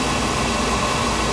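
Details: Oil burner that had been tripping out, during service with pump pressure raised from 120 to 140 for better oil flow and spark checked: steady, even roar with no pulsing, rumble or sputter; flame firing cleanly and holding steady.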